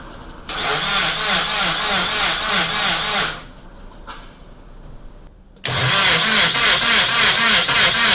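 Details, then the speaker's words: Nissan KA24DET engine build being cranked on the starter with fuel pump and ignition disconnected to prime oil; steady cranking about 3.5 beats a second in two long runs, no firing; oil now circulating through the turbo. "all right so i got the engine primed and all the oil circulating through it's going through the turbo so we're solid there"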